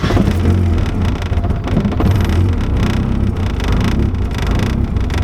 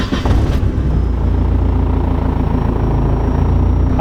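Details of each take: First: E85 engine on a standalone ECU before startup and idle tuning: a deep, lumpy rumble that surges and sags unevenly right after firing up, showing a rough, unstable start. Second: E85-fuelled engine after a VVT table change, cold start at the start of the day: catches quickly and settles into a steady, even idle with no hunting or surging, VVT locked at zero. Smooth startup.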